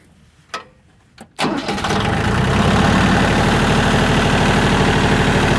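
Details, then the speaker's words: Used Yanmar YM1820D 4WD diesel compact tractor cranks briefly, starts right up with no smoke, and settles into a steady, even idle with no misses or misfire; normal start and idle. "You see it starts right up, no smoke, sounds really nice. Engine doesn't miss or misfire."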